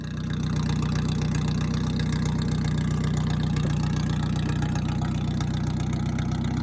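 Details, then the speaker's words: M tractor with flathead engine swap, assembly complete except the throttle: steady, even low idle at about four beats a second, no misses or knocks; starts good and runs fine, normal idle. "it is complete it runs just just fine starts good one thing we still have to do is throttle but that will be next week"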